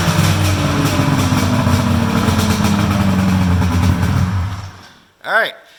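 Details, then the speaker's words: Polaris triple-cylinder two-stroke snowmobile, stock exhaust, cold start: fires and holds steady busy burble for several seconds before shutdown; healthy. "sounds good that sounds good for a triple I like the sound of that"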